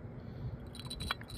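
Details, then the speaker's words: Ford Fusion external water pump removed and spun by hand: loose metallic clinking and rattling from a worn-out bearing; the new pump spins with no noise. "Look at that bearing. Hear that bearing? That's a no bueno, people. That's bad."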